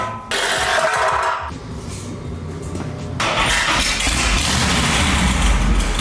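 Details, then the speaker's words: 1963 Buick LeSabre 4-door, on its old exhaust with a Flowmaster muffler and kinked pipes along the rockers: a short crank, then a deep, throaty, even idle with no misses or knocks, a normal start. "and they ran the exhaust pretty much right along the rockers with a kink bent end on it, which really looks bad. It sounds good, but it looks bad."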